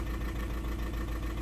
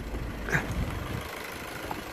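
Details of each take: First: 2009 Audi A3 8P 1.6 TDI diesel at idle after dealer software update (car also remapped): uneven lumpy misfire about seven beats a second, limp mode, DPF light, codes P2463 and P0202. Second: 2009 Audi A3 8P 1.6 TDI diesel idling evenly with steady clatter after repair; previously misfiring on three cylinders with codes P2463 and P0202, limp mode and DPF light; now no stumble or missed beats.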